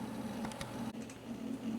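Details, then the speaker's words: Dell Dimension 5150 booting Windows (Vista or 7): scattered quick ticks and rattles over a steady low fan hum as the hard drive thrashes, seeking heavily; cause suspected, not confirmed. "sure you could hear that it is grinding like it was making coffee and I don't even like coffee"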